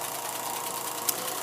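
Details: Vintage Kodascope Eight 90 8mm movie projector from the 1950s, running film, sounds like a jet engine and gets very hot: steady high-pitched whoosh, constant fan roar and motor hum, no knocks; running normally, just loud.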